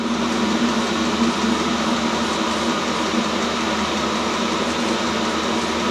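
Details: New self-contained Chinese diesel heater on first run, output air 70 °C; steady even rush of fan and burner, no surging, knocking or rattle; normal running at full heat.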